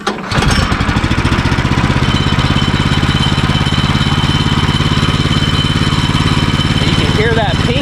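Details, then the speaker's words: Woodland Mills HM130/HM122 sawmill, 14 hp engine, at operating temperature. It starts and idles fast with a faint high metallic ping over the steady putter: the centrifugal clutch is engaging because idle is too high. Turning the idle down stops the ping. "if it's pinging at an idle that means it's engaging your idle is too high and that's going to wear your clutch out prematurely"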